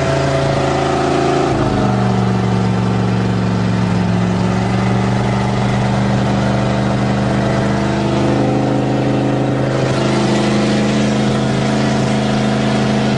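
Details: 1977 GMC 400 truck, cold start after choke pull-off rod adjustment: catches and settles into a steady, even fast idle with smooth low drone, no misses or knocks; healthy cold warm-up idle.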